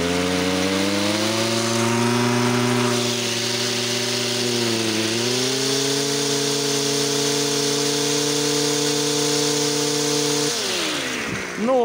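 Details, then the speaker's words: Stihl FS 55 trimmer, stock, idling well but stalling on throttle: two-stroke rises slowly and unevenly, sags, then hangs and falls away; lean stumble from air leaking through the carburetor's accelerator pump. "подсос воздуха через ускорительный насос в карбюратор это как не приносит пользы общей дозировке топлива"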